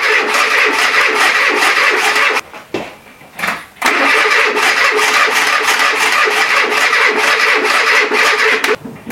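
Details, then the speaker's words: Renault Trafic, rebuilt junkyard C1J S 7000 engine unrun about 15 years, after a reversed gear is refitted: fast uneven cranking chuffs with brief catches that die away; it fires but never runs. Owner suspects flooding or valves. "comme ça là tu vois il entend il voudrait démarrer mais là je sais pas pourtant j'ai remis exactement pareil"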